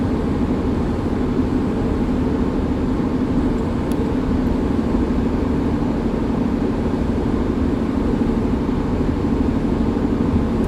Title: Hyundai Tucson bad wheel bearing sound